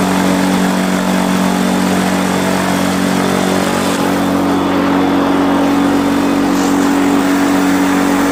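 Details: Quicksilver ultralight two-stroke with newly installed 3-blade Warp Drive propeller, warmed up, static ground run at full throttle to about 6,200 RPM; loud steady high-rev drone, even pitch, no misses or surging. Normal full-throttle run-up.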